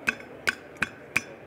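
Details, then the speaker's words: Four hammer taps on the edge of a truck-mounted air brake spring chamber, each ringing metallically with a short loose rattle behind it from a broken power spring; the push rod also cannot extend fully. "with it mounted on the truck if you hammer on the edge of the can you can hear that spring rattle in there"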